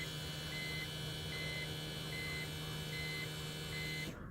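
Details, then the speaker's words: 2001 BMW 330Ci E46 coupe, key in accessory after replacing the fuel pump with an eBay unit: steady low buzz for about four seconds then cuts off, chime beeping; new pump priming normally, then car starts. "What you do is let your car, just put it to the accessory, and you can hear it. Like, you can hear that buzzing."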